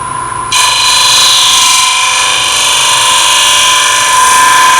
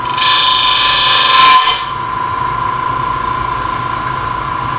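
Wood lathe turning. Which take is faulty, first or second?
second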